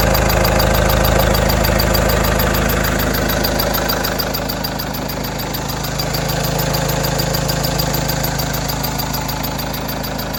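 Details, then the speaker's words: Renault F9Q diesel idling with a high squeak pulsing about three times a second. Water pump and timing belt tensioner were not replaced, everything else is new, and the owner says it is not the belt or tensioner. Cause unknown. "1 5 1 и 9 собраны новому от ворот такой писк не менялась помпа не менялся натяжной ролик грм все остальное новое такой звук где-то вот откуда"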